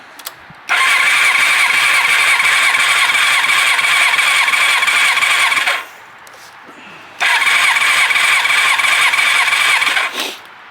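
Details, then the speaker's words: 1986 Kawasaki Ninja 600R being revived, starter cranking during a compression check: two bursts of steady, even cranking with a quick regular pulse and no stumbles. "All right. So, now I'm going to do a compression check."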